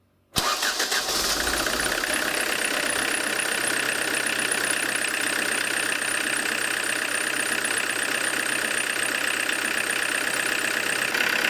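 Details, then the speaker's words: Diesel with Lucas DPC injection pump, warm, in closed garage: after retarding from over-advanced setting, settles into softer, even idle with steady clatter, no harsh knock; revs well without smoke — optimal injection timing found, running normally. "ну немножко помягче стало, чувствуется. Немного помягче стало. Наверное, на этом я и остановлюсь. Видите, как мягче стал работать?"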